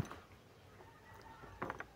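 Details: Suzuki Grand Vitara A/C compressor pulley spun by hand without turning the pump: rough bearing giving a quick cluster of sharp clicks, as if catching on grit; worn pulley bearing confirmed.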